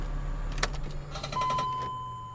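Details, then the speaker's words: BMW X3 E83 / X5 E53, door open, engine switched off: rapid light clicking under the driver's side beneath a steady chime, from a transfer case actuator with a failed plastic gear; brake, ABS and 4x4 lights on; clicking can be intermittent. "so first open your door then turn off the car and listen for the clicking"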